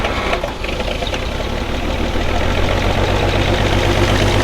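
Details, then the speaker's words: Shop forklift spitting antifreeze out the exhaust, head gasket suspected, with a sealer added: steady, rough, lumpy idle at about four beats a second under a low drone, misfiring; blown head gasket suspected, not confirmed. "It's got a blown head gasket, we think. It's puking antifreeze out the exhaust."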